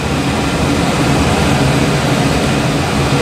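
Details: York furnace after repair for four-red-flash fault: steady, even low roar with no cycling, surging or dropouts; ran about half an hour without shutting down, problem fixed.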